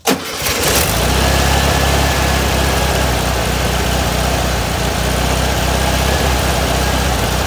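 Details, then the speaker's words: VW 1600 air-cooled engine after adjusting its Solex 34 PICT carburetor with a parts kit, started with one pump of gas then revved high: catches quickly, strong even run, no stumble or miss; normal, smoother and more powerful than before. "Car's running smoother than it has. It has more power than it has had"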